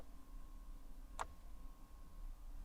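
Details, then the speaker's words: Crashed Audi R8 being rebuilt after two years of storage, showing drive system fault: one sharp starter click with no crank; owner hopes the engine is not seized, cause unconfirmed. "And we are hearing the I think it's the starter motor. It clicks, but it's not turning."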